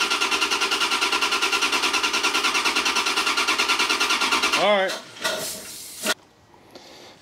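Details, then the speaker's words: 1994 Corvette LT1 with replacement Optispark distributor, temporarily wired: steady cranking about three turns a second for several seconds, no firing; crank no-start, still setting code 16 (low resolution). "still having trouble optispark still coding out Cod uh 16"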